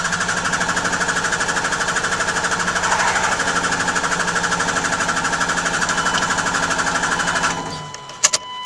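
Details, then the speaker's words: 2000 Dodge Ram 2500 24-valve Cummins turbo diesel after a fuel filter change: steady cranking at about three turns a second for seven seconds without catching. Air in the fuel after the swap. "pump it see how it died there that's because it's not getting enough fuel so you know I'm just pumped it again so priming probably the fuel system again or priming the fuel filter before all right let's see if it starts this time"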